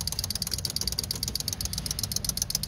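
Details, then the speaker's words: Honda 600 car unused since about 2014, key on with engine off: fast, even high-pitched ticking about nine per second; electric fuel pump running normally. "I don't know if it's got a fuel pump on it. Oh yeah, I hear the fuel pump running."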